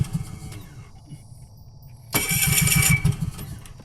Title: it won't start